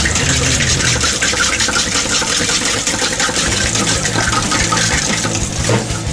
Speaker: look it's a noisy garbage disposal that's for damn